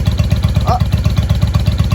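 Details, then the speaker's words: 1995 Honda Shadow VLX VT600CD V-twin idling loud with baffles drilled out, air filter off, first run in years after cleaning switch contacts; steady, even lopey thump about seven or eight beats a second, healthy, just unbaffled; normal idle. "She sounds good to me. Anybody know? Oh, the baffles were drilled out of this thing. There's no baffles in this. That's why she's loud."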